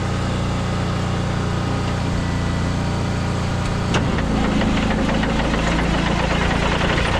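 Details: Abandoned Kenworth C500 off-highway mine truck diesel after priming and ether start; catches and settles into a steady deep even idle clatter without stumbling, fired right up, no air pressure yet.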